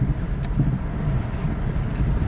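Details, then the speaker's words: Kia 4WD at about 220,000 miles, driving after its plugged air filter was fixed, gives a steady, even low rumble with no knocks or misses; smooth despite a noted exhaust leak. "Car is smooth. Drive record, no issue."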